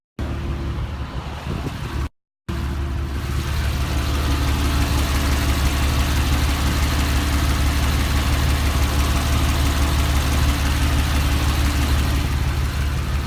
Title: Ticking sound at Rickover